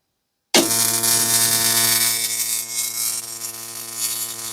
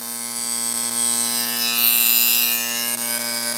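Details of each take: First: Original East German (DDR) Simson/MZ ignition coil on a Bosch spark-gap tester, around 6 mm gap: loud, even, rapid snapping of a rich blue, clean spark; healthy ignition spark, quitting around 11 mm. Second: Simson/MZ ignition coil (6 V) on a Bosch spark-gap tester produces a fast buzzing spark train. Occasional skipped sparks start around 10–11 mm, clear misfires at 12 mm, and it quits at 13–14 mm; stable up to about 11 mm.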